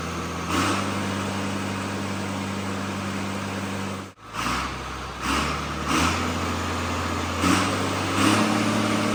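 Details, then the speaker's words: John Deere tractor with a swapped-in excavator diesel engine, refired after first start: steady, even idle with no knocks or clunks; briefly cuts out, then settles back into a smooth, healthy run. "Gotta admit, that's just a cool feeling seeing it run, ain't it? It's the little things. Yeah, I see it. And it sounds. It sounds really good. It sounds really good."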